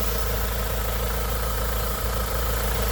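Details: BMW Z3 1.9 with M44 engine at idle: steady but slightly lumpy, uneven idle with a soft hiss, suspected vacuum leak, not confirmed.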